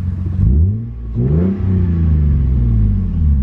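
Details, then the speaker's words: Manual Lexus IS300, revved from inside the car with clutch pressed and released (faint supercharger-like zoom from clutch): two smooth revs tracking throttle cleanly back to steady idle, no knocks or rattles; healthy engine. "no clutch i clutch so the engine is healthy for right now"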